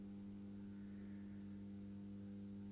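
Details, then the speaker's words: Atlas C420 model locomotive with massive flywheels, warmed up: at crawl speed the motor gives a steady low buzz and jerks instead of running smoothly; the reviewer attributes the struggle to the flywheels. "It's got power. I can hear it buzzing and it's starting to jerk. Okay. So, it's pretty slow, but it's not yet smooth."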